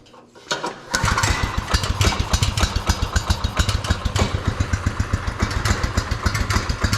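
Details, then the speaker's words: Marketplace beater go-kart, small single-cylinder engine on a swapped carburetor, first start choked with no adjustments made yet and fuel tank not bled: catches after a few pulls, settles into a quick, slightly uneven putter; starts and runs fine. "Oh [ __ ] that's kind of nice. Let's up that. I think that's my idle control."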